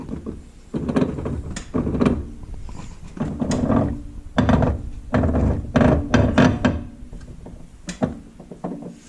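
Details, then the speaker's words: Yamaha ATV, partly torn down, rear axle worked in gear: irregular heavy clunks and knocks. The rear axle bearing has a lot of slack and is worn. "you can hear there this is in gear so that is you know shouldn't be hearing that"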